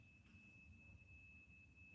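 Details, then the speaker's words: Workshop, heard over the camera: thin, constant high-pitched whistle at one pitch over faint room hum from some electrical device; owner suspects a charger, source not yet found; high-pitched electrical whine. "Mrs mechanic tells me we've got an issue some kind of really loud high pitched noise in the workshop I think she's right can you guys hear that on the camera"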